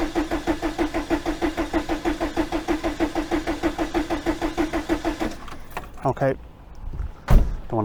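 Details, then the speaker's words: 1987 VW T3 camper with AHU TDI engine after new fuel pump fitted, pump completely dry: slow even cranking about 1.5 beats per second with no firing; cranks, won't start. "i think injectors a bit more cranking needed there i think i'm getting a bit out of that one i think but we'll go a bit more obviously the pump is completely dry"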